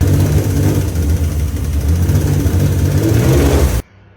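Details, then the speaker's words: Porsche flat-six on its first start-up: it runs rough and deep with a heavy knock beneath the exhaust note, judged to be rod knock. "the noise it's making. Yep, that's that's Rodnock. So, that's fun."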